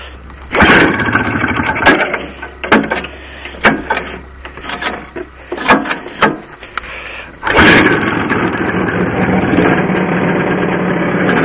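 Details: Barn-find 1984 Honda Odyssey two-stroke, cold start on premix fed into carb, choke on: several short cranking bursts, then catches and holds steady even idle with no misses; runs fine though owner wonders if it runs lean.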